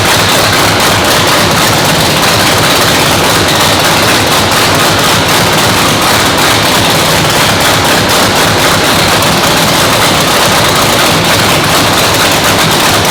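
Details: 997-cubic-inch nitrous race motor, freshly built, second fire-up after a 10-minute cool-down; very loud, harsh crackle of rapid sharp exhaust pops at steady high idle; normal warm-up run.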